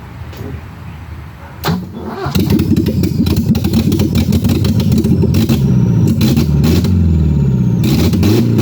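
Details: BMW E30 with M10B28 engine: catches, then idles unevenly with a lumpy, stumbling beat; misfire at idle. Owner suspects a bad distributor cap or jumped timing, later a possible blown head gasket (rotten-egg smell); not confirmed.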